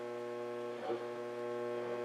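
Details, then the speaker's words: Zenith Transoceanic Royal D7000Y radio after replacing AM-section transistors, run from bench power supply: steady low 60 Hz mains hum with buzzing overtones through the speaker, no programme. "oh wow look at that we have am that nasty sixty Hertz hum it sounds like though"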